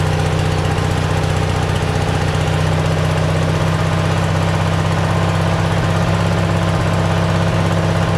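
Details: Simplicity tractor fitted with a cheap Chinese replacement carburetor: steady, even small-engine drone with no hunting or misses, but sitting noticeably fast. Idle is set too high; the cause is suspected, not confirmed.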